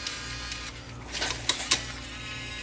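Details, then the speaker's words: Bose Wave Music System multi-CD changer after replacing a faulty linear slide switch that caused jamming and cleaning the laser lens: faint motor hum, soft whirs and clicks as it cycles modes and loads the disc smoothly; normal CD changer cycling. "I think now it'll go through the modes in here and load the disc."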